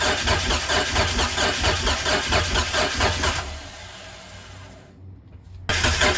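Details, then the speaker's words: Mitsubishi 3000GT not started in 5+ years (fuel tank, pump or fuel suspected bad), cranked on starter fluid: starter turns about two pulses a second but it never fires. A compression test afterwards showed most cylinders at a subpar 180, one at 195. "So the last clip should be of us trying to start the car, and yeah, it wasn't starting. But right after that I did a compression test, and then a couple of the cylinders, well, most of the cylinders were 180, which is like subpar."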